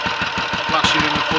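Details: Royal Enfield 500 single (Asbo 34), rebuilt with ported head, barrel shortened 2 mm, Hitchcock's 9:1 piston, strobe-set timing; third start, about 10–15 minutes running since rebuild: even lively thump, no rattles or misses, no leaks or smoke, plenty of compression; normal idle.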